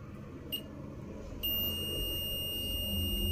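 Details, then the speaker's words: Multimeter continuity test on the good fuel injector, probe leads swapped: a steady high-pitched beep holds to the end, reading 14 ohms; the coil is intact, as was the bad injector's coil. "Ahí está sonido y el valor de la resistencia de 14 ohms Entonces esta bobina también está bien"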